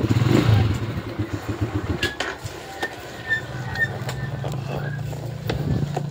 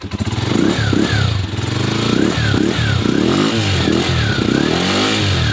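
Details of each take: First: Skygo primary-type motorcycle, hard to start after water got in, CDI ignition converted to battery-operated: single cylinder catches about halfway and settles into even steady beat; starts and runs normally. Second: Skygo motorcycle with primary-type ignition wiring: revs rise then repeatedly break up under throttle, from water entering the wiring and weak spark; being converted to a battery-operated CDI.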